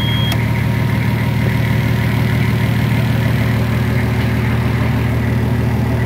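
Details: Nissan Patrol Y60 with TD42 turbo diesel, first start after 9 months in storage on an almost 3-year-old battery: steady, even diesel clatter at a settled idle with no misses, knocks or hunting; normal diesel idle.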